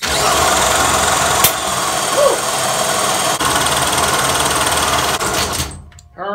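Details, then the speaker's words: 1975 VeloSolex moped engine after cleaning the fouled spark plug: fast buzzy rattle for about five seconds, then it abruptly dies; owner suspects the cylinder filled with old gunk again and fouled the plug. "so it did fire I'm guessing that the cylinder filled up with all that nasty old stuff again and got founded out"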